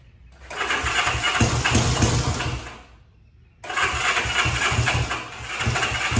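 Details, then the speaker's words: 1965 Honda CB77 Super Hawk, first start after restoration, plugs swapped, on choke: catches, runs ragged and uneven, fades nearly out then picks up; won't hold idle, carburetors need adjusting. "We're making progress. It's getting close. Carburetors need to be adjusted. There's all kinds of nuances that we need to deal with here."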